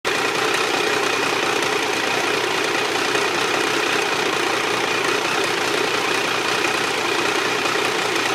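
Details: Triumph 955i triple at idle with a busy, uneven mechanical clatter; the noise is constant, worse when hot and louder on the left side. The owner suspects clutch or valves; cause undetermined.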